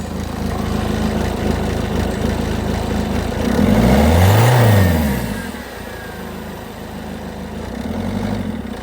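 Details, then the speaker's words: 2005 Citroen C3 HDi XTR diesel, bought unseen: harsh, clattery, uneven idle rattle, felt through the car, with traffic passing. Runs rough, described as like a bag of spanners; cause not identified. "Um, and it sounds like a bag of spanners, doesn't it? You can feel it."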